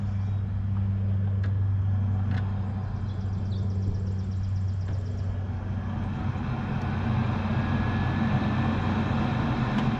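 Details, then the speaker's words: Furnace with a no-heat call: when the disconnect is switched back on, the draft inducer motor starts straight away with a steady low hum. The technician suspects a control board fault. "oh Des NE out when I put it back in immediately the draft motor starts running sounds like we're going to have a control board problem more than likely"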